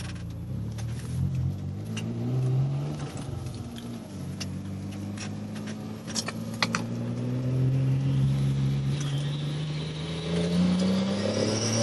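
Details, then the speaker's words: 1998 Contour SVT, custom turbo, recirculated blow-off. Under acceleration a thin turbo whistle climbs while the gauge reads zero psi around 3000 rpm; boost only comes in near 3500–4000 rpm. Owner suspects turbo lag or a boost leak; unconfirmed. "you can hear the turbo kind of going but it reads zero PSI on the boost gauge and then when it actually kicks on higher than that around um 3500 or 4,000"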